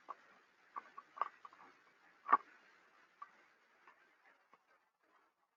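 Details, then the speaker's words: SKF rolling bearing with a known defect heard through an SDT ultrasound instrument with structure-borne and airborne sensors; faint, irregular crackles and ticks roughly once a second over a quiet background, structure-borne sounding mechanical, airborne more bubbly. "two different types of sounds a structure board sounds uh more mechanically and you know Airborne sounds more bubbly but nevertheless you can detect the bearing with either sensor"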